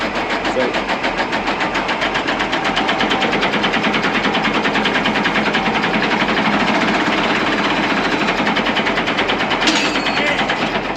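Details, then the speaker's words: Engine stopped during the first grass cut because it wasn't running. Now the starter cranks fast and steady, about three beats a second, with no catch or firing: cranks but won't start, cause unconfirmed. "sounds like she wants to start I stopped mowing because it wasn't running"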